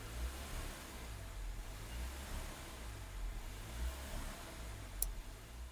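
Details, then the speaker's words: Nissan N16 (Sunny) with QG16 engine, manual, in neutral, coolant over 70, AC and loads off: warm idle surges, swelling and sagging, unchanged after idle air volume relearn; cause was tampered IAC wiring and a burned ECM. "Still engine is in the same condition, that surge idling condition. So definitely there should have something wrong."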